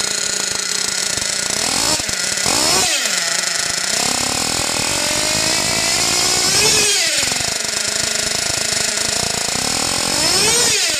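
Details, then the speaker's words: Mugen MBX6R nitro RC car on a trial tank of VP PowerMaster fuel: shrill idle far too high, surging and sagging instead of settling even after being turned down; it ran fine back on Nitrotane, owner unsure if the batch was bad. "So one of the things I'm getting is a very, very high idle, and so I'm trying to figure that out. I dropped it some. You can hear how inconsistent the idle is."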